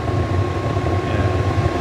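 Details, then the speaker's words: Atwood RV furnace in an aging motorhome, after replacing the bad blower motor: steady, even blower rumble with a clean, constant burner roar and no surging or rattles. It burns fine despite a small rust hole in the burner tubes. Normal furnace operation. "But as you can hear, it's burning like a champ. It smells great."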